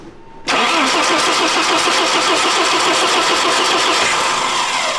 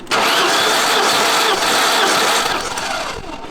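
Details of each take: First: 1988 BMW M3 E30, non-running for nearly a decade: steady rhythmic cranking for about five seconds that never catches. The fuel pressure gauge read zero, then a fuel line burst; crank-no-start from no fuel pressure. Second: 1988 BMW M3 abandoned nearly a decade, cranking on starter with spark plugs out after oil down the cylinders: fast, even whir with no dragging; compression then measured about 120–150, favorable despite suspected pitted cylinder walls.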